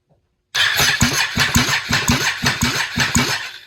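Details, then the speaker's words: Freshly built high-compression Can-Am 850 engine for nitrous, turnover on jumper cables before transmission is fitted: starter spins it evenly, about three strong, evenly matched compression pulses a second; good compression. "So she does turn over good. Doesn't sound bad at all, so definitely sounds like it's got some compression now."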